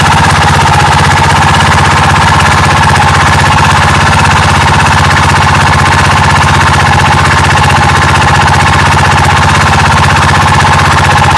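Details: Yamaha Majesty SG03J scooter engine, noise that appeared suddenly while riding: a steady loud run with a constant rasping, rubbing edge, suggesting something scraping inside; source undetermined.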